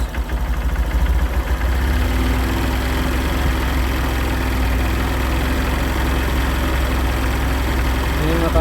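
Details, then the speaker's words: Used 2013 Honda Verza single checked before buying, throttle opened gently; low even putter rising smoothly, no knocks or rattles, engine stays smooth. "tetap halus ya guys untuk suara mesinnya"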